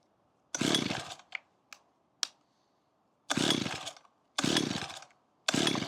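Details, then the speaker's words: About 15-year-old Makita petrol hedge trimmer after fuel line replacement and priming: five short pull-start rasps at uneven gaps, engine never catches; flooded. "Oh, I flooded it."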